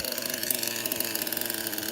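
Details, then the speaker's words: 25-year-old HPI Super Nitro RS4 with Picco 12 engine: fast, even, raspy idle with sharp chatter on each pulse; runs well at idle, back pressure poor, oil dripping from back; exhaust leak. "CC sounds good though huh as I give it RPM I can hear the back pressure is bad"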